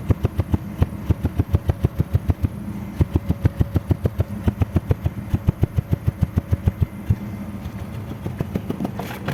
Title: Cómo se escucha un misfire en tu motor???